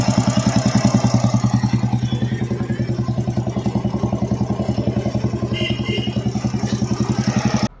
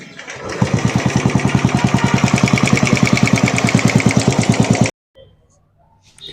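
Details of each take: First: Royal Enfield Bullet with a tick-tick tappet noise complaint, idling after the RH cover was refitted: steady, even single-cylinder thump at about 3.5 beats per second with no ticking, a clean idle. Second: Royal Enfield Bullet 350 single at idle: fast, even tick-tick about three per second over the thump, from gear lash under the right-hand (RH) cover.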